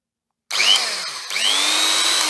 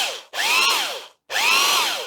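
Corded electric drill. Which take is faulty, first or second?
second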